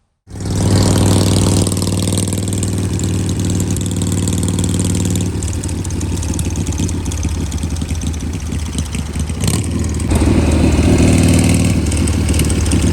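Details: Shovelhead chopper with S&S Super E carb after re-jetting and new throttle and idle cables: deep steady lopey V-twin idle, even beat, no misses or rattles; running well, starter drive still occasionally skipping.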